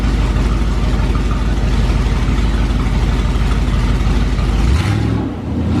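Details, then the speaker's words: 440 big block taken from a motorhome, fitted in a 1970 Plymouth Duster, first run after sitting six months to a year: a loud, deep, steady rumble with one quick blip of revs. Normal idle with revs, running strong and even. "I think it's a beast it is so loud I don't know what it sounds like on camera guys but this thing is a monster let's give her one more little Rev"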